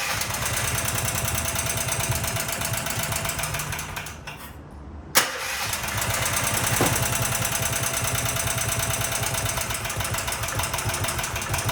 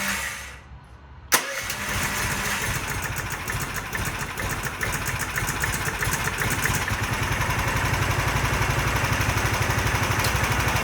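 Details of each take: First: Predator 420 small engine, about a year old, after a valve lash adjustment: rapid, steady tapping knock about three per second while running, engine stopped and restarted; owner suspects the valves were set too loose but is unsure the lash is the cause. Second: Predator 420 engine after adjusting intake and exhaust valve lash to .004 in to cure backfiring on cranking. Semi-cold start, first without choke, then with choke pulled: catches at once and runs steady and even, with no backfire or pinging.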